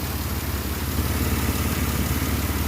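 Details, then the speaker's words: 2006 Pontiac Grand Prix 3.8L V6 idling after head gasket replacement: low, steady idle with even pulses, no rocking, stumbles or misfires, much smoother than before, when it rocked and seemed to misfire. "Engine sounds good. It's running nice. It's really smooth. It's much smoother than it was before."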